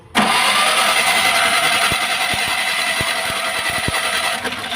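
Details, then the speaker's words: Maruti Omni MPFI without immobilizer: starter cranks the engine steadily for seconds but it never fires; spark plug fine. "चलिए self ले रहा है but start नहीं हो रहा है"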